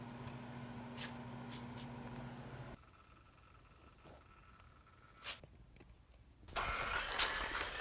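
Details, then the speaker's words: Vintage 1978 Shinsei Fire Fox RC car after long dormancy, steering servo and dirty motor cleaned and centered: steady low motor drone with gear whir, then a brighter burst; back to life, normal running. "cool okay moment of truth she's a runner all right back to life"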